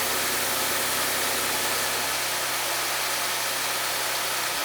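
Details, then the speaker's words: Rebuilt Audi S5 engine with APR supercharger kit, first start with coolant not yet connected: it catches slowly as fuel pressure builds, then settles into a steady, even idle with no squeal or misfire. No fuel smell; normal first start after the rebuild. "For this being my first time ever taking an engine this far apart, that is, I mean, it's awesome that it started. It didn't sound bad. I don't smell any fuel. It started slow."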